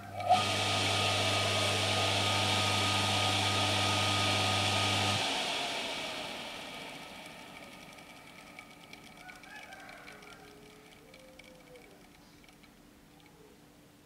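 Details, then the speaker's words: Used single-phase motor from a Shimizu PS-128 BIT water pump, run on mains through a single winding without capacitor, hand-started in a chosen direction; turns either clockwise or counterclockwise. Steady mains hum about five seconds, then power cut and quiet spin-down; runs normally on one winding. "ini ya teman-teman ya putarannya bisa ke kiri Lalu apakah putaran ini bisa ke kanan kita akan mencoba juga ternyata bisa ya teman-teman ya bisa berputar lock West ataupun counter clock West"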